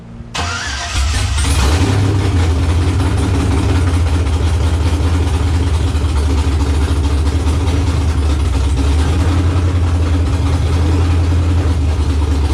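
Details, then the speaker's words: Car engine first start after the backwards passenger-side coil pack harness was corrected: brief crank, then a steady low drone held slightly above idle by throttle. It won't idle on its own yet; owner thinks it must relearn idle. "let it idle i wonder why it won't idle yeah i'll hold it up in a little bit it might not be zeroed out"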